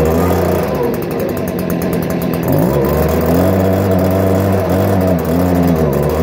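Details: 2018 Stihl BG56C leaf blower, a backup unit: a steady buzzing two-stroke note that wavers a little with the throttle but stays even; healthy.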